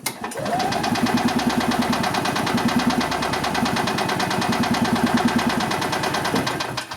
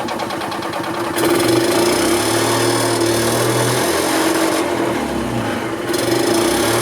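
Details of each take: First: 1990 EZGO Marathon 2-cycle gas golf cart with oil injection: even cranking about three turns a second for seven seconds, never catches; owner suspects crud in the carburetor. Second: 1990 EZGO Marathon golf cart two-stroke with oil injection, jacked up since it has no neutral, after carburetor cleaning, new filters and fuel line: steady fast even buzz, no stumbling or misfire, runs good and strong.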